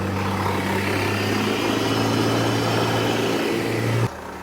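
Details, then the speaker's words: 99 Sonoma parts truck, wrecked, running before teardown: steady strong engine drone under load, no knocks or rattles, then drops off; motor sounds good. "Sounds good. I know that sounds like crap. The motor sounds good."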